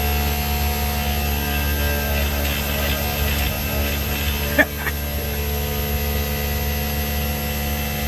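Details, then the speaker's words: Daikin Rebel VRV rooftop unit in automatic cooling, failing inverter compressor: loud steady low hum with a sudden knock and uneven roughness, amps bouncing; abnormal compressor noise. "the amps are bouncing all around too on this system you can hear it something's going on in there"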